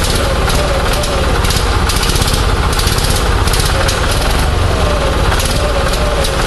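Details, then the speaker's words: Onan 6.5 kW generator fired by an Arduino Uno ECU through a Toyota coil-near-plug pack, checked with a strobe. Lumpy, ragged chugging that never settles: it barely runs, and the timing jumps all over, with no steady reading. "obviously we still got a timing situation I couldn't get a good number but the timing is jumping all over the place"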